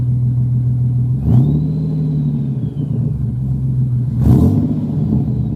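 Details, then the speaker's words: Procharger-supercharged engine with a Jones turbine resonator and no exhaust tip fitted: deep, steady rumble with a faint rising supercharger whine and two short blips. Clean, normal running. "You'll hear some supercharger sound in there. You'll hear the Jones turbine, little resonator in there. And that's just, it sounds pretty clean."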